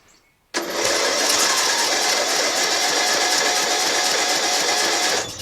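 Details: John Deere L100 lawn tractor, 17 HP Briggs Intek OHV, new stator, starter, magneto and battery, tank drained, first crank after one spray of starting fluid: about five seconds of steady starter whirring, no firing; cranks but won't start.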